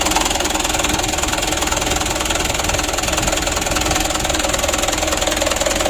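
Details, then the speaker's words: Mitsubishi Canter 136 PS HDL diesel, warmed up, injection pump adjustment unfinished: uneven, lumpy knock about two and a half per second at idle. Mechanic suspects unbalanced pump delivery, with cylinder 3 getting far too much fuel and another too little; unconfirmed. "disini untuk flownya posisinya ini tidak Soalnya uang saya tuh sangat jauh sekali yang satu sedikit-sedikit yang satu ini nomor 3 ini terlalu banyak"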